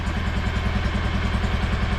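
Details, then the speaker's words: 2016 Kawasaki Mule 610 idling in neutral right after a valve adjustment it badly needed: steady, even idle with a smooth regular pulse, no ticking or knocking, running much better than before but a touch fast; idle to be turned down. Normal idle, slightly high. "yeah that sounds way better than what it did well it sounds and runs good i'm going to have to shut the idle down a little bit uh yeah it runs good and i'm driving it but it's idling a little high"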